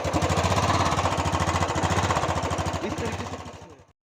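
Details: Royal Enfield Bullet motorcycle engine that develops a tik-tik sound after running: steady thumping single at about 3.5 beats a second with a light tick on each beat; possibly loose valve clearance, unconfirmed; engine opened for repair.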